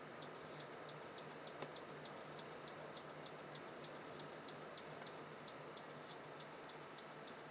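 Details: Computer stuck on startup repair, won't load; light even ticking about three times a second over fan hiss; repair from CD tried and system restores deleted; owner suspects hard drive failing, not confirmed.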